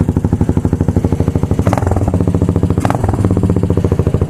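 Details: Motorcycle at idle after replacing the blown exhaust gasket and fitting a Megaton muffler: deep, even exhaust thump about thirteen pulses a second, steady and unbroken, low rumble; healthy idle.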